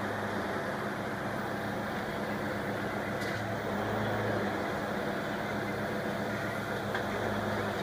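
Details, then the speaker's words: 1992 Ford Explorer (first generation, 4.0 OHV) converted from the Ford power steering pump to a Saginaw P-style pump from a 1984 E-150 with a remote reservoir, final version. Idling while the wheels are turned, engine hums low and steady with no whine; pump barely audible, much quieter than before. "can barely hear it so that's much better than it used to be"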